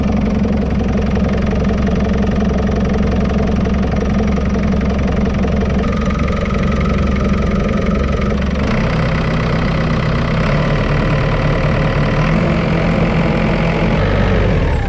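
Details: JCB 526 diesel after new parts fitted and fan belt refitted; deep even idle with a steady low rumble, no belt squeal: engine and drive running normally, normal idle.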